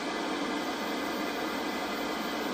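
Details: Cold, just-arrived 1983 Ferguson 39050 black-and-white portable TV, bought from eBay as not working: even steady untuned hiss with no tone or crackle, so the tuner works; only vertical deflection is lost.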